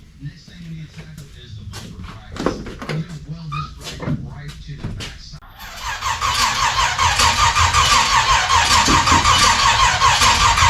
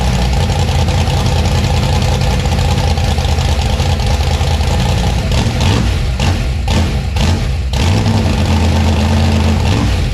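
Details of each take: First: 1956 gasser with new 750 Holley carb, first start attempt, no coolant added yet: steady starter whirr about 2.5 cranks per second with no firing. Distributor installed 180 degrees out of time, so no start. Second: 1956 gasser V8 with new 750 Holley carb and timing set: loud, deep rumble in a steady lope with crisp, instant rev blips. Clean, healthy idle and revving.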